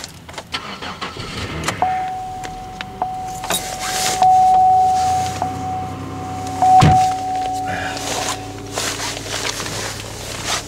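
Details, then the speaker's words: Restart of a 2008 Pontiac Grand Prix or 1999 Toyota Corolla at about -3° with wind chill near 25-30 below, hours after a drive that barely warmed it. The starter catches quickly through gusting wind and the engine settles into a steady, even idle: a normal cold start. "started like it hadn't even been started today"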